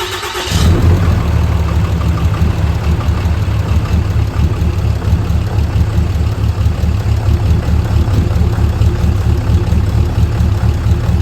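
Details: 6.7L fourth-gen diesel just after a DIY valve adjustment: short crank, then it catches at once into an even, steady clatter with no valve ticking. It runs well, though the turbo actuator and grid heater still need fixing.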